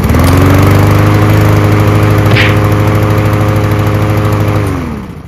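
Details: Troy-Bilt TB240 self-propelled mower with Honda engine after a carburetor clean: steady, even beat at fast idle with no misses, then winds down cleanly at shutoff; normal running.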